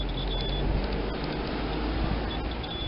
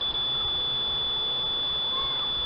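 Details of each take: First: Multimeter continuity test on a non-polarized parallel capacitor while hunting a short: high steady beep twice over room hum, low resistance on the negative/ground side, meaning the capacitor is good. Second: Multimeter continuity test across a circuit-board capacitor: a steady, unbroken high-pitched beep on the ground side and nothing on the other side, showing the capacitor is shorted.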